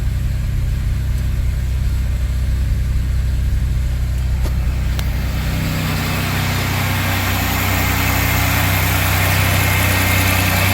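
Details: Pontiac Grand Prix 3800 Series 3 (L32) first start after replacing the lower intake manifold gaskets and cleaning the injectors: steady, even low idle with no misses, ticks or hunting; healthy idle.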